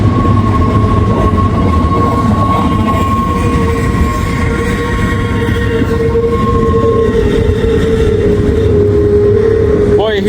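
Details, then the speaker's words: Norfolk Southern 263 intermodal freight train with mid-train DPU passing: steady high-pitched wheel squeal over the rumble of cars; observer suspects the flange greaser is out of grease, not confirmed. "that squeaking you think maybe uh the flange Greaser out of Grease"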